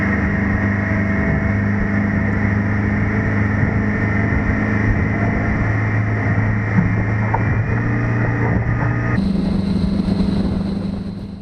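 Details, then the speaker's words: 2020 Mercury 150 hp four-stroke outboard on a 2000 Sea Fox 192, warmed up and raised 1.5 inches: steady high-pitched, smooth wide-open-throttle drone with no misses or knocks, 5,800 rpm at 45.6 mph; running healthy. "Picked up some RPM here. The wide open throttle was 5,800 RPM doing 45.6 miles an hour."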